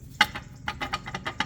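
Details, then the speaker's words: Tesla Cybertruck rear brake caliper cover, loose again a week after its bracket was tightened, wheel cover off: sharp, uneven plastic clicks, about six in two seconds, chattering. "it's loose can we can probably see it wobble a little bit there maybe you can see that in the video can certainly hear it so as it goes down the road and it's sitting here chattering very annoying sound"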